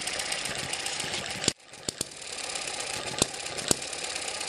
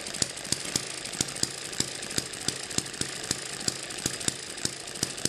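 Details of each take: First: Eachine ET7 (same as M94) model hit-and-miss engine with weaker, stretched governor springs, now about 900-1000 rpm: hissy running broken by sharp single pops spaced well apart, the slow firing cycle of a hit-and-miss engine running properly. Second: Eachine ET7 (same as M94) model hit-and-miss engine on its original stiff governor springs, running about 1600 rpm: sharp pops fire steadily about three per second with no coasting gaps, overspeeding so it never misses.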